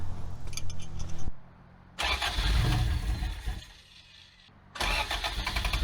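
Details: Abandoned Toyota AE86 with carburettor, after compression test, new spark plugs and timing retarded a few degrees: short cranking bursts with a few ragged catches that never pick up into a run; cranks but won't start, cause not yet found.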